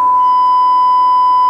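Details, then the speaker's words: Cobra 21 LTD CB radio on alignment, modulation turned up to 100% from 72% with a test set: a steady, harsh, buzzy square-wave tone, clipped audio; modulation jumps from 70 to 100 with no control, and a fault is suspected. "hear that that's the square wave I can tell without putting on the skull I'm getting the square wave audio response - sounds horrible"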